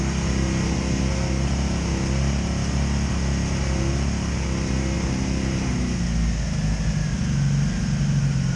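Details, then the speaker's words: 2002 Honda Magna VF750C V4 at idle, misfiring and backfiring even after ignition coils replaced, misfire now felt in all four cylinders; lumpy uneven idle with occasional stumble; owner suspects the CDI box. "huh that's weird yeah you're gonna hear a misfiring though oh all right well that pretty much continues it continues to disappoint"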